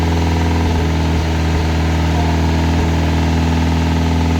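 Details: Classic Mini turbo at first start-up, idling: light regular tapping felt on the rocker cover, likened to a big end but at the top end, possibly roller rockers; cause not confirmed.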